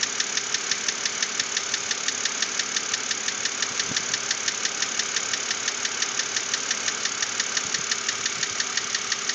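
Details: 2006 BMW Z4 3.0si at idle: sharp even ticking knock about three per second at constant speed; persists after lifter replacement, cause unconfirmed.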